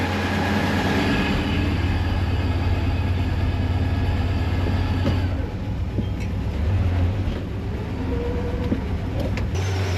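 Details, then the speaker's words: Stock Vortec small-block Chevy with a small cam in a Chevelle, burning off old gas, at a smooth, even idle with a steady lope and no ticking; fuel pressure good, fuel pump whine audible; normal idle. "Sounds pretty normal. What do you think, Derek? Our fuel pressure is good. Fuel pump is making fuel pump noises. Just runs so good."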